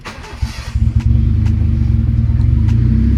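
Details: Honda Civic EK hatch after engine rebuild, first start after 3 months on the fifth attempt: catches after a few ragged turns and settles into a low, uneven thrum; runs, but idle speed not yet adjusted.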